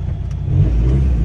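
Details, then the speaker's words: 2002 VW Jetta, 1.9L ALH turbo diesel, with a new turbo and a custom stainless cold air intake, revving. Deep, clean diesel rev building smoothly, no knock or rattle. Healthy engine. "y'all are not going to believe this so I don't know if you ever heard an alh turbo before but I'll give you a little taste this is how it sounds"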